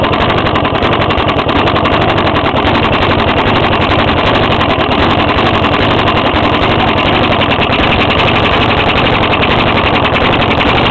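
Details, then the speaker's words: Five-year-old 4hp Briggs small engine, hard to pull-start: loud, rough running with fast uneven tapping; owner suspects rod knock, unconfirmed, and it also has a hole in the intake tube at the carburetor and is spitting gas. "think this got a rod knock actually cuz see it's really hard to pull it right now I think the rod inside blcks"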